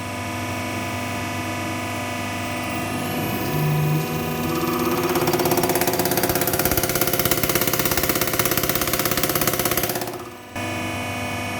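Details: Toyota Hilux diesel that was hard to start; worn injector valve seat and nozzle replaced (one injector done, three to follow); after the fix it settles into an even clatter about three beats a second, revs and drops back without misses.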